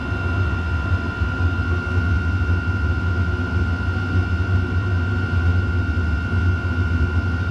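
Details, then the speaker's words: Chinese diesel heater running a 50/50 gasoline and waste oil mix, restarted with the intake blocked after it had shut itself off; temperature climbing past 74–78°C. A deep steady roar with constant fan whine, no surging or popping; burning hard and clean. "74 she's ripping now 76-78"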